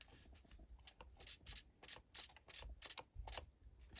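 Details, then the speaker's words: RC ERA C184 MD500 100-size helicopter after reassembly, servo check: short crisp even gear-whirring bursts as servos sweep, positive pitch responding, no binding or grinding; healthy servos. "Pitch up, you get positive pitch, positive pitch. Looks good."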